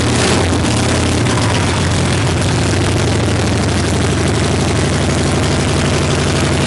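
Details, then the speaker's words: 1965 Harley-Davidson Panhead V-twin after cam, lifter, pushrod, carb and coil work, started on choke before ignition timing adjustment: loud, uneven ragged lope with harsh rasp over exhaust thump; rough raspy idle, not yet tuned. "so we're going to start it up right now it's pretty nasty and raspy and we're going to probably dial it in just a little bit"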